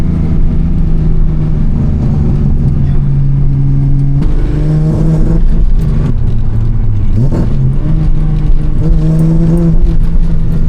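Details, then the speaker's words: Datsun 280Z with FAST EZ EFI retrofit, running rich, hard first/second-gear pulls: rising note keeps cutting out abruptly; stumble on hard acceleration, owner suspects too much fuel that the self-learning system won't correct. "It's really hard for downshifting because I can't rev match, because you have to accelerate fast. And it's hard for like first and second gear pulls because it just doesn't like that much gas."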